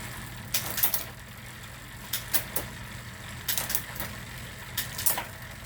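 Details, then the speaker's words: Bicycle rear derailleur just adjusted, run up and down the cassette: crisp paired clicks every second or so, chain stepping cleanly with no grinding or skipping; normal gear shifting. "up and that's it shifting is adjusted you know go through up and down as many times as you want to really pay attention to it listen to it"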